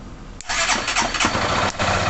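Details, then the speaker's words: 2011 Honda Titan CG 150 with PGM-FI that would not electric-start; with a direct jumper from battery positive to the red/yellow starter-switch feed wire, starter whirs briefly and the single cylinder catches and idles evenly; starter and relay fine, fault in positive feed. "já ligou Então já sei já que o tempo todo está em bom funcionamento está em ótimo estado de funcionamento e o motor de partida também está funcionando perfeitamente"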